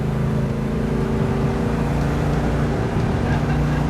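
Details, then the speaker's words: Freshly restored 1967 Plymouth Hemi GTX convertible, 426 Hemi with dual quads and a 4-speed, on its first road test: a deep, even V8 exhaust rumble holds steady while cruising, with no misses, knocks or rattles, healthy and clean. "You can hear it coming down the road. That is one snarler of an engine. I can see why they like the exhaust. That does sound really good."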